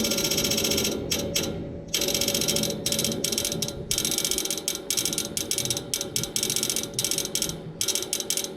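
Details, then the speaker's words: Outdoor AC unit clicks all day and night while idle with nothing running: sharp repeated ratcheting clicks in bursts, like something inside trying to crank but never starting, stops once the fan turns on; persisted after the motor was replaced, cause unknown. "Nothing is running. This sound will continue until the fan comes on, then it stops. It's not coming from here, it's coming from inside."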